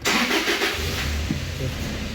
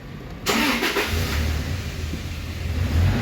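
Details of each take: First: Toyota Hilux 2013-2014: brief crank, engine catches with a quick rev, then sags and dies within a second or two; scanner shows ignition coil A and B primary/secondary circuit codes; starts then stalls. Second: 2014 Toyota Hilux that started then died, all four ignition coil codes set from carbon and water; after fix and code clear, quick crank, catches and holds a steady even idle; normal start, no trouble codes.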